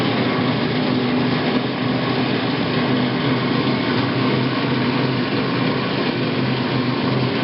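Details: Admiral washer model AAV7000AWW running: loud steady whirring drone with a constant hum underneath, still present after replacing the drive belt; source unknown.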